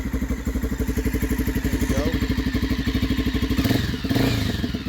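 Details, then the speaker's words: 1986 Honda XL600R single after cam chain tensioner replacement for top-end noise, warmed up after a ride; even thumping that picks up smoothly with throttle, no top-end ticking: normal idle and revving, noise fixed. "Put a few miles on her and she's running like a champ. No noise at all."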